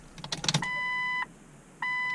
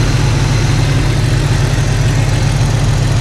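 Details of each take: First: Jeep Cherokee XJ fuel pump priming after installing refurbished 4-hole injectors: two steady half-second whines at unchanging pitch with no end strain; pump never reaches backflow or builds pressure, so injectors and lines are to be checked. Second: Jeep Cherokee XJ idling after swapping in refurbished 4-hole injectors to replace cracked ones; low steady idle holding constant speed, no stumble or tapping, nicer and quieter than before.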